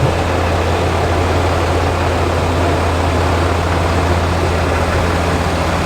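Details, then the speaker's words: New zero-mile Cummins in a Ram HD, rebuilt after the original threw a connecting rod through the block at 4,000 miles, starting up: deep steady diesel idle with even drone, no knocks or rattles; normal idle. "hopefully i can get a startup for you guys real quick so you guys can listen to it and here's a cool startup brand new comments"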